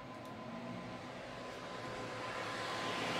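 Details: Gigabyte G1 R9 390 graphics card with replacement 87mm 4-pin ball-bearing fans: smooth, steady whoosh with faint even hum rising as fans speed up, no ticking or grinding; normal fan run.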